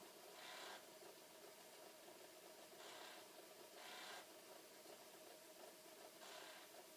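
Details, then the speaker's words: Flood-damaged Commodore C2N datasette being exercised alongside a 1541 drive test; during rewind, with the counter spinning, a quiet steady tape whir carries a scratchy rasp returning every few seconds, a funny mechanical noise of unknown cause. "give it a bit of a workout the counter is spinning oh it still is making a little bit of a funny noise"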